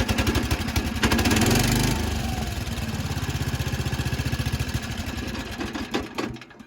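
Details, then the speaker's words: 55-year-old Montgomery Ward lawn tractor single-cylinder engine on its first run after storage: uneven, hunting chugging that won't settle at idle, blowing water and oil from the exhaust, a rough idle. "I was gonna try just letting it idle, but it's not liking that. It's blowing out a lot of water and oil from the exhaust though, as you can see."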